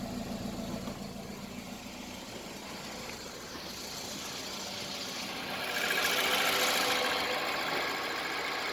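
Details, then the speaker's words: Toyota Isis 1AZ-FSE engine, 4WD automatic, 104,000 km, tested before dismantling: a steady, even idle with no hunting, no misses or knocks, no blow-by and no smoke; the engine is in excellent condition. "Двигатель в отличном состоянии. Работает ровно, оборотом не плавает, а КПП переключается, все работает."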